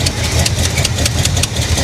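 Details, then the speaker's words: 1985 Chevy El Camino V8, wrecked salvage car, at idle: rough idle with fast sharp puffing tick over the exhaust beat from one side of the engine; exhaust header leak, also leaks some gasoline. "i do remember that this thing leaks a little bit of gasoline yeah i hear a header leak is what i hear"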